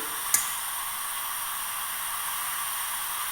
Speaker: that clicking? What that clicking is the OCC regulating the amount of LN2 that is going down to there, the chuck.